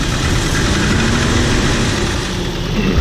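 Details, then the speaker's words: 1994 Volvo 740 Turbo intercooler engine, cold start idle: uneven hollow knocking from piston slap, said to go away once the engine warms up and tolerances tighten. "so that sound that you're hearing that knocking sound is just piston slap it's not a big deal because once this motor warms up it actually goes away once the tolerances like kind of tighten up from the heat"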